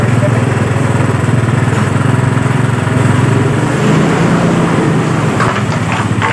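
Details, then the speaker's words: Yamaha Mio Sporty that was dead, freshly started after carburetor service and spark plug refit; low uneven putter that wavers and never settles, with a leak found at the carburetor diaphragm (membrane), to be repaired; unsettled idle. "Baiklah, jadi di bagian motor sudah menyala. Cuman ada kendala baru ya teman-teman. Ada kendala baru, yaitu ada kebocoran di bagian sini. Ya, lebih tepatnya ada kebocoran di bagian membran."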